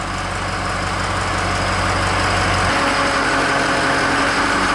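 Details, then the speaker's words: Ford F550 diesel after replacing a leaking brake hydro-booster powered by power steering pressure. Steady diesel idle whose note shifts smoothly when the brake is pressed, showing fluid returning to the reservoir. The pedal is solid and the booster works normally. "you can hear to change in the RPMs so it's definitely returning back to the reservoir"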